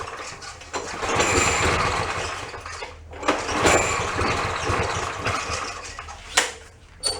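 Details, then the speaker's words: Push mower that wouldn't start: uneven sputtering, surging and dying between pulls. A stuck float is overflowing and flooding the carburetor, making it run rich; the air cleaner was packed. "let's see we get you see that it's just not getting full throttle or the choke is on I think the air cleaner is probably gonna be mmm you know it is over flooding yeah that's a good sign"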